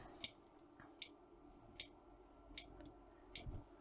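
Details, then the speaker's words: Trojan treadmill DCMD67 control board on bench: sharp crisp clicks about every 0.8 seconds over faint hum as the safety relay keeps dropping out and pulling back in; known clicking relay fault. "We can hear the safety relay clicking in and out."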